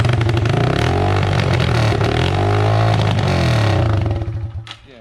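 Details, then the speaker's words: Yamaha TTR 225 after rebuild, no muffler, runs only on choke: single-cylinder thumps unevenly for about four seconds then sags and dies; engine won't stay running, stall cause unclear, carburetor said to be clean. "you can't even get it to like stay running first i hate like choking it but that's the only way it starts"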